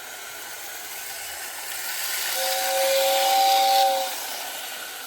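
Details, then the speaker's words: Old Lionel whistling tender behind a Lionel 2037 locomotive, never worked before, now repaired: toy whistle sounds clearly for about two seconds over the running train's hiss and rumble. Normal whistle operation. "and it works while on a moving train which is really good have to let it run around i never really have run that tender around seems to be working quite well now"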